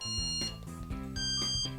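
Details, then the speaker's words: Wsdcam bike alarm, taped to muffle it: short beeps stepping up in pitch, each higher tone a higher sensitivity level while being set to level five. "of sensitivity every time it gets a higher tone then it tells you that that's a different level"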